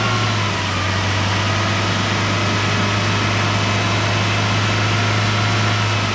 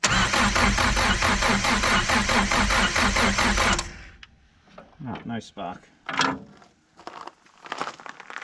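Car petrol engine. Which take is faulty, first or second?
second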